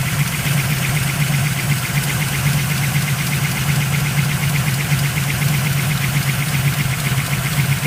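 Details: 383 small-block Chevy V8 idling after installing new AFR 195cc Eliminator heads (3mm piston-to-valve clearance, correct pushrods): fast, light tapping over a low, steady rumble; cause unidentified.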